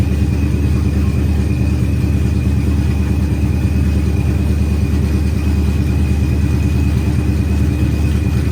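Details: Procharged Ford Coyote V8 on first start-up, with good oil pressure and fuel pressure up: deep, even idle rumble while warming up, firing smoothly with no knocks or misses; healthy idle.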